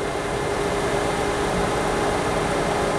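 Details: Used metalworking lathe with a collet setup, under test, power feed engaged: steady, even mechanical whir with a faint constant tone and no knocks or grinding; the lead screw turns and the threading lever engages smoothly. Normal running.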